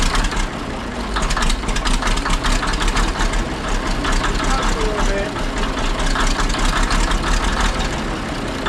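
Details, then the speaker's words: Ex-military 1959 International dozer diesel, sat months at scrap yard: after running a couple minutes, smoke cleared; deep even idle with rough heavy rumble, no knocking or misfire; engine running healthy. "Well, after it ran for a couple minutes, the smoke sort of cleared up. The engine actually sounds pretty healthy."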